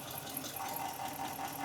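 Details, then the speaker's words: 2013 Jeep Grand Cherokee 5.7 V8, about 160,000 miles, coil unplugged during misfire test: rough uneven idle with regular stumble about five per second; dead cylinder misfire from wiped camshaft lobe. "There it is running bad. And I'm wondering why somebody put this one on."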